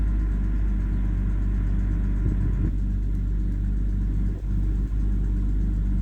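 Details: BMW E91 with N52B25 engine at idle: uneven low idle that hunts and stumbles with faint irregular ticking; misfire and unstable rpm persisting despite repairs, recurring DME codes 29F4 (P0420), 29F5 (P0430), 2DED (P160F), A46D; cause unsolved.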